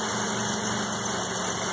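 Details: 1984 Mazda RX7 12A rotary at its first cold start after sitting 13 years, block at 47°F in the garage. It settles into a steady, buzzy, even idle with no knocks or misses.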